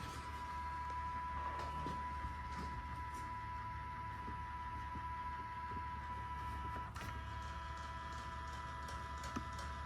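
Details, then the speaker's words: 2015 Hyundai Genesis 5.0, power mirrors: a faint, steady electric whine as the mirror motors run, but neither mirror moves with any switch. The owner suspects the fold motors aren't working, not confirmed. "They're both broken, so neither of them are actually functioning. You can hear the motors, and none of these switches right here are doing anything to the mirrors."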